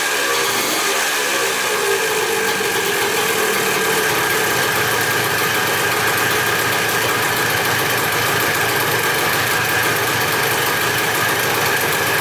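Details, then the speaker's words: Dirt bike bought in a four-bike lot, restarted after only a carb clean and fresh gas, clutch slack adjusted: it fires right up to a steady, even, crackling two-stroke idle with no surging, misses or knocks; normal idle. "well it doesn't get much better than that basically all we did was a carb clean put some gas in this thing and uh i fired right up"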